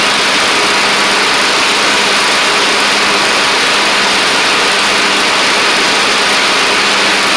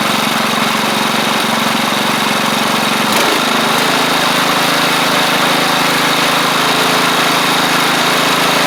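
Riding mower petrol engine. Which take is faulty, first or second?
first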